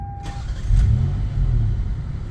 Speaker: and it just runs like a top I mean no check engine lights no lights on at all